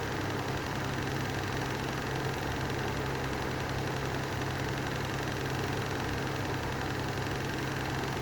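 A steady, rough whirring roar with a low hum and a gritty undertone that never smooths out; the fan bearings are worn.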